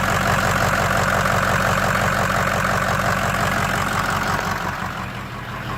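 Engine idles with a loping, uneven pulse about three beats a second that stumbles and fades; rough idle, possibly a misfire.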